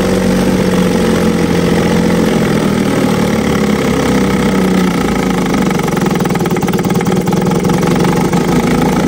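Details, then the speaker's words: 1950 Johnson HD 25 2.5 hp two-stroke outboard in water-test bucket after carb adjustment, pumping water well: strong even buzz holding steady revs without misses; normal running, though lowest idle unstable, points cleaning planned. "I think that's going to conclude today's video. This thing runs pretty good."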